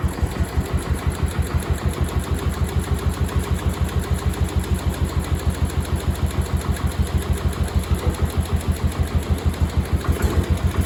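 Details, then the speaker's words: Cub Cadet 1250 hydrostatic single-cylinder engine, first start after sitting about 20 years under a barn shelter, after more fuel was added and debris blew out of the exhaust: even putt-putt about three firings a second, quiet, no smoke, no misses; normal idle. "listen to that that is quiet in ain't smoke I ain't seen smoke a drop"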